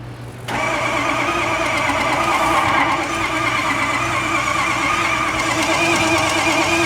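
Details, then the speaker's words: Ford F250 6.0L Powerstroke diesel, towed in, won't start: cranks quickly and evenly, about three beats a second, with no firing; mechanic judges by ear it isn't developing compression, unconfirmed, checked with a glove on the coolant overflow bottle. "so what we're trying to do here is we're losing compression obviously I my ears tell me that this motor is not developing any compression"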